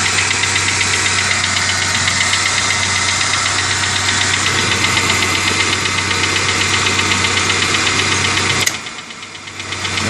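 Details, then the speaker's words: Steady sharp even engine tick about four times a second, unchanged; began right after an oil change and persists after replacing a faulty mass air flow sensor; source unidentified. "I don't know what that noise is it just started right after I did a water change I you know oil change"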